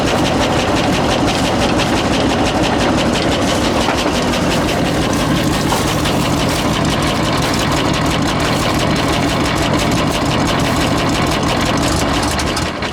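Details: 1966 International ACCO truck, petrol V8 with a 2-barrel Holley carb, after flooded start: rough, lumpy idle with steady rasp, stumbling and relying on the throttle pump to keep running; carb not tuned well.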